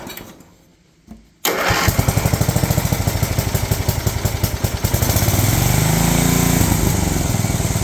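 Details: Old riding mower/ATV of unknown year with many miles, barely runs, throttle set up, in neutral. Brief crank, catches and runs fast with quick steady beat, won't idle low; owner suspects governor needs adjustment.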